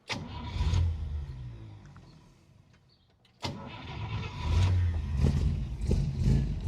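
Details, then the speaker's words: 1954 Chevrolet Bel Air with its original engine, 1-barrel carburetor, 12-volt upgrade with alternator and 3-speed column shift: a brief crank, then it catches cleanly into a very low, even idle with no knocks, sewing-machine smooth, radiator fan blades almost countable. Normal start and idle. "It sounds like a sewing machine, very, very low idle. You could even count the blades on the radiator fan."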